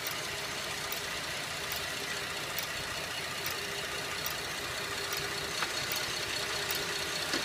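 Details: 2011 Buick LaCrosse CXL: sharp metallic ticks about once a second over a smooth idle, slower than engine speed but speeding up on acceleration, stethoscope used to locate it; valvetrain-type tick, cause unconfirmed.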